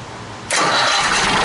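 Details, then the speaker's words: 1959 Caterpillar diesel generator set, already warmed up with the stack fitted, started and brought up to operating speed before load testing: the engine catches abruptly and settles into a loud, even roar with no knocks or misses; healthy start. "I'm gonna go start it up and bring it up to operating speed see I got the stack on there now all righty start her up"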